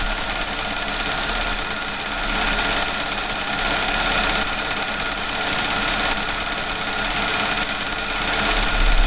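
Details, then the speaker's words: Audi/VW petrol engine at a smooth idle with rapid light clacking, about three ticks a second, louder than the engine, from the fuel vapor purge valve. The noise changes when its hose is pressed and cycles on and off for minutes; fix is replacement. "so unfortunately this is a very very common problem you'll notice that it doesn't do it permanently it'll do it kind of on and off"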